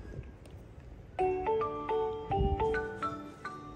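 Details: Xiaomi Mijia K Bluetooth karaoke microphone switched on: short rising melody of clear bell-like notes, the normal startup tune before pairing.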